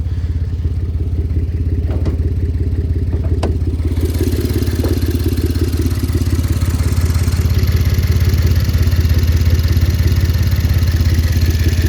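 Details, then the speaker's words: 2012 Ford Taurus AWD with 3.5 turbo V6, 116,074 miles, idling: rapid uneven puffing tick over the low rumble, an exhaust leak needing attention. "As you can hear, it does have an exhaust leak. Uh, so that's going to need some some attention."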